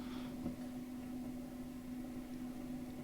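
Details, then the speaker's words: Fender blackpanel Super Reverb guitar amp, idle with no playing: a steady low hum under a faint hiss; noise traced to a bad first preamp tube, and swapping that tube removed it. "you remember the wind frying pan and home issues well many times the noise issues are PRM Tu related"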